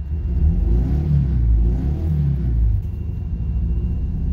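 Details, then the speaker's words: 1999 Toyota Camry LE running after a welded piston repair: uneven, lumpy low rumble that rises and sags on revving, weak power, check engine light flags misfire, power dropping fast, running on three cylinders. "it doesn't have very much power at all i mean it's got some power oh check engine light it thinks it's misfiring oh we're losing we're losing power fast"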